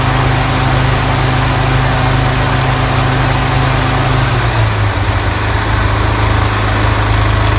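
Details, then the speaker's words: Toro TimeMaster 30-inch mower after replacing deck spindle lower ball bearings and setting deck belt tension: steady even drone with no grinding or rattling from the deck; loud rubbing noise and blade engagement problem fixed. "great we have repaired the issue with the mower unusual loud noises and problems with the blade engagement"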